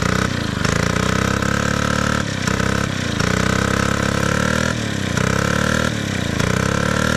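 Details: Gas-powered Columbia ParCar golf cart, long-sitting, revived after cleanup; steady, even small-engine chug with a smooth regular beat and no knocks or misses; normal running.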